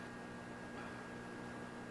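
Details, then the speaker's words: APC Back-UPS Pro 1500 running on battery after mains was pulled at over 700 watts of load: steady high inverter hum with an even cooling-fan hiss, no buzzing or clicking, normal operation. "you can hear they're very loud uh there's a humming that you can hear as it's converting the electricity and the bigger one actually kicks a fan on uh to keep running the fan"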